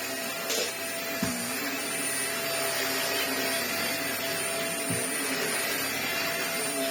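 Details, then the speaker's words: Vax Air Stretch upright vacuum brush roll running after servicing: a smooth, steady motor whoosh and even brush hum with only a little whine and no rattle or scraping. Normal brush roll running. "Little whiny noise, but nothing. You can ram it into the that works really well."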